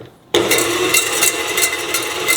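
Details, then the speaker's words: Repaired KitchenAid stand mixer running with a penny in the bowl as a head-height test: bright, rapid scraping and rattling as the beater knocks the coin around. The head may sit too low and need raising via the rear set screw. "And if it's really kicking it If it's really kicking around that penny, you might need an adjustment back here and I'm going to show you exactly where that is."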